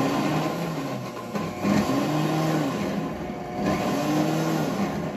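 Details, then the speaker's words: WantJoin commercial blender blending thick hummus under the soundproof shield: steady motor hum whose pitch sags and recovers every couple of seconds as the thick mix drags; normal under heavy load. "we are going to turn it on power on now let's see what do we want to do we want to put it on probably more of like a smoothie and then start"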